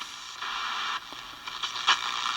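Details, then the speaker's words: Sportmate portable radio reassembled after repair: steady hiss with scratchy crackles, no voice or music, no station received; soldering iron nearby was causing interference. "Still not picking up a station there. Obviously it's picking up something, but I got my soldering iron off, so that was causing a lot of problem."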